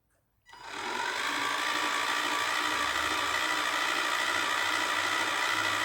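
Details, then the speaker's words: Ride-on Barbie Jeep (ex-NewBright Brutus) motor on the existing ESC spins up to a steady high whine with a thin squeak riding on it, source unknown; owner concludes the motor is fine and suspects the ESC lacks voltage, considering a different ESC and 4S battery. "Ooh, do you hear that squeak? Yeah, okay."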